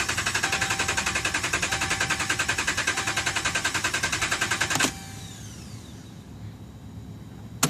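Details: 2011 Dodge Ram, about 75K miles: starter cranks briskly about three and a half turns a second for five seconds, never catches; crank no start, dealer found defective TIPM (Totally Integrated Power Module), replaced under warranty.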